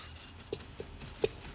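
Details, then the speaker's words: VW PD130 diesel, engine off: a few short, thin squeaks as the variable turbo vane linkage is worked by hand; the vanes are slightly tight. "don't know if you can just hear that sort of squeaking noise just the veins just get ever so slightly tight in the turbo"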